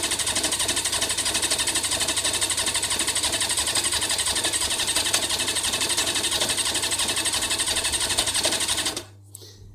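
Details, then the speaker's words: Kawasaki motorcycle, 315 miles on the clock, cranks with a fast, even churning rattle about three beats a second but won't start; owner suspects the carbs are out of balance. "um but the minute it doesn't start so you can't you can't hear that anyway"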